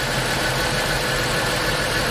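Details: 2005 Chrysler Pacifica 3.5L V6 AWD after starter and seized alternator repair: steady, even idle with smooth hum, no knocks, misses or squeals; engine running healthy.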